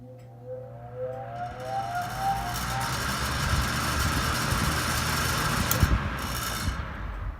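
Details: 1974 Kmart (Lakewood) model K-10 10-inch single-speed tilting table fan, probably built November 1974. Soft motor hum rises in pitch as the blades spin up, then settles into an even airy rush: normal fan startup.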